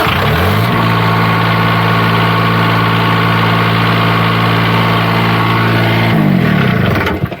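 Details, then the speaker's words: Niftylift HR17 SP50 Kubota diesel with a no-crank/no-start fault, run with the solenoid disconnected: starts and settles into a steady, even idle, no knocks or misses. Engine healthy; fault lies in the controls, suspected board. "okay it's running fine no problems with the engine side so it's all the controls"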